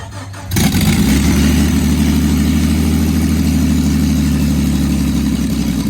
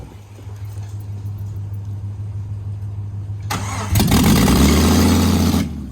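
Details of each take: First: Jeep engine's first start after reinstallation, with no exhaust fitted: blaring, raw, deep rumble straight from the open headers, and flames shot out. Loud open-header exhaust. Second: Jeep engine after reinstall, earlier no-start blamed on crankshaft position sensor: steady cranking, then engine catches with a loud burst of firing before dropping away; it fires up now.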